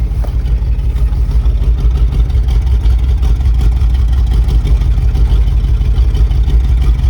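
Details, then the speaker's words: 1978 Chevy K20 4x4 Camper Special V8, restarted after cooling down, with more transmission fluid added: a low, fairly steady idle burble with no stumbling and no more smoke. Much smoother, though not yet perfect. "this engine is coming around it's not perfect but it is coming around i mean it's running so much better i can turn the idle down boy that's that's awesome it's coming around"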